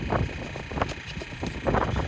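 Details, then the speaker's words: Van AdBlue system actuator test via laptop, near lift pump: faint irregular clicks over steady pump hum; dosing solenoid energised without pumping AdBlue, normal operation. "But it's not pumping any AdBlue out at the moment, which is normal. That's just like testing the solenoid inside there, making sure it's getting a signal and it's working."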